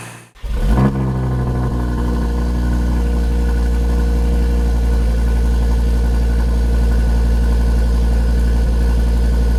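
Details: 2013 Audi TT RS (8J) on a cold start, after reinstalling the intake manifold flaps and port separators. Removing them during intake valve carbon cleaning had caused misfires in the ~45 s warmup. The engine catches at once and settles into a smooth, even fast idle with no misfires; fixed.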